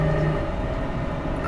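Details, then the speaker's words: Dodge truck rear differential at steady cruise, 45 dropping to 40 mph: constant low droning whine under road noise, present all the time, not normal frame-transmitted noise; worn rear differential pinion bearing. "uh this is doing it all the time I mean right now I'm at 45 and it's doing it dropping down to 40 and it's still doing it it's doing it all the time uh this has definitely got a problem in it"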